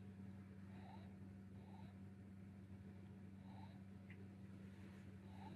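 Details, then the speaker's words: Amiga 600HD after boot: steady low hum with a faint repeating chirp about once a second; the hard drive seems to try to spin up without getting going, cause unconfirmed. "Also sounds like the hard drive is sort of trying to spin up and not doing anything, so I guess we want to check that."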